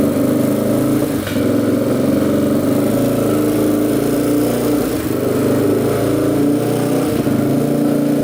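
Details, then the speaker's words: 2007 Yamaha TTR230 single, choke off, after a starter repair and a new boot: sharp backfire pops on throttle blips and inconsistent revving. It idles nicely, with a little chatter; the owner thinks he hears valve clack and suspects the valves need adjusting. "backfiring pretty good the choke is off now when you rev it see what kind of backfires a little bit kind of revs inconsistently"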